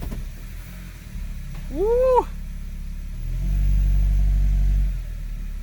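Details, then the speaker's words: 2002 Honda CR-V AWD automatic after transmission mount and front mount replacement: engine idles, revs rise briefly as it goes into drive with no thump or jolt; mounts fixed. "fairly quiet to me boys and girls and you can hear it's not jolting into gear anymore so i think it's safe to say that this thing is fixed now"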